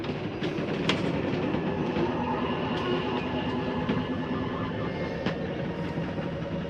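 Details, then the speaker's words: Rockwood Premier 2601 slide-out retracting: steady motor drone with light irregular ticks and clunks, no grinding. Normal slide-out retraction. "So once I've made sure I went through and shut off all of my lighting, I'll go ahead and turn this one on just so we can see our slide coming in. Come over here, hit in on your slide."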